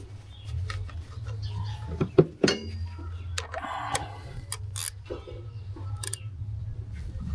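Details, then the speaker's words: Kia Ceed petrol idling after replacing the faulty ignition coil that caused cylinder 4 then cylinder 3 misfires, spark plugs checked good; steady even low rumble under handling noises, misfire solved. "So, I realized that the problem was the ignition coil, so I put a new ignition coil and the problem was solved."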